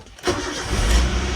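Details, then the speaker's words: Toyota Avanza engine, tested on petrol fed from a bottle after a nearby shop claimed the ECU was faulty (12 million replacement); brief crank, starts immediately and settles to a smooth, steady low idle, with the pump running quietly. Normal start. "Karena kosong ya, ini kita starter sih. Halus suaranya, Mas. Pompanya suaranya halus."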